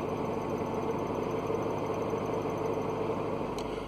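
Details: Mercedes W202 C230 Kompressor idling in neutral, parking brake on: steady whirring chirp from a failing clutch release bearing, disappearing when the clutch pedal is pressed or tapped.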